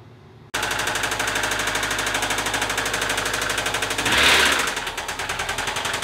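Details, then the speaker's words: Subaru engine catching and running with a loud, rapid, sharp knocking that rises with a throttle blip; the timing jumped and valves are believed bent, with knocking heard at the throttle body; replacement engine planned. "it's weird I hear the knocking at the throttle body that we inside the throttle button so that everything's broken my engine"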